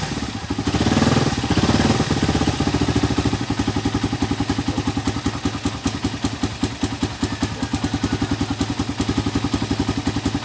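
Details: Suzuki Raider 150 carbureted motorcycle with hard starting, carburetor being checked: a couple of seconds of rough, uneven cranking, then the single catches into a steady patter; cause unclear.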